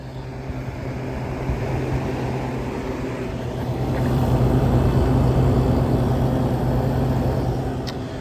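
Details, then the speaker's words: Window air conditioner on cool, first start since November, slow to come up to speed. Steady low hum with an even airflow rush that builds smoothly as it settles; running normally. "Doesn't really have much of a startup. Has a nice sound once it gets going though, which will probably be a minute for this guy because I haven't ran it in since November, so."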